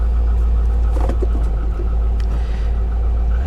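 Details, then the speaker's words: Salvage-auction car on a Copart lot in Oklahoma City, running with light throttle: a deep, even rumble that picks up smoothly, with no misfire or tapping. Runs very well, goes into gear without hesitation, and the brakes are solid. "it actually runs well very well what do you guys think"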